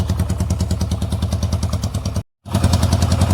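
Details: Yamaha XS650 twin at an uneven, loping idle, about three beats a second, running on one cylinder though better with some air restriction. One pipe stays cooler than the other. Swapping the coils didn't help; owner suspects something else, not confirmed.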